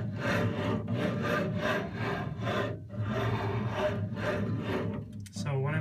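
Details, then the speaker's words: LaOS laser cutter X/Y axis: after tightening a loose drive belt, moving the head by hand gives a rubbing drag that tightens and loosens about twice a second; owner suspects a kinked belt from shipping or the end pulley. "I noticed that when I would move the head back and forth it went v v v v like it was getting Tighter and then looser and then Tighter and then looser"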